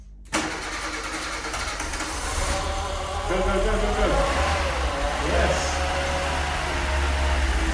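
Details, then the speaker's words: 1988 VW Golf MkII barn find, stood 14 years, after fuel pump work: quick crank then fires and settles into a smooth even steady run; first start, runs very nicely; distributor, water pump and secondary fuel pump still to replace. "but she runs she's live and she runs very nicely actually so i'm happy with that"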